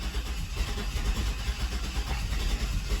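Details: Chevrolet S-10 with consistent misfire, exhaust delete, running during clear-flood live-data test; low, uneven, lumpy rumble, stumbling and rough, check engine light comes on.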